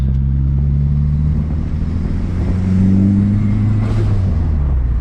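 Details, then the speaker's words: Dodge SRT4 Stage 2, first drive after tightening a loose charge pipe coupler, cold evening: steady deep pull under boost with no hoot or whistle; normal boost, no boost leak noise. "all right no horn noise hell yeah"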